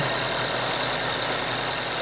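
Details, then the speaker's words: Used car at cold idle during a pre-sale inspection: fast, light ticking over an otherwise smooth idle; inspector suspects oil coming up slowly or something starting to wear, not confirmed. "Oke cuma ada suara seperti Pengen ya pengen bunyi"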